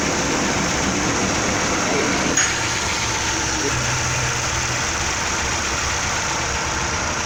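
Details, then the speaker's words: 2009 Chevrolet Prisma 1.4 with 150,000 km, brought in for a loud engine noise, after repair: steady, even idle with a smooth hum and no ticking, knocking or rattle. It runs normally. "está aí funcionando direitinho sem barulho sem ruído anormal"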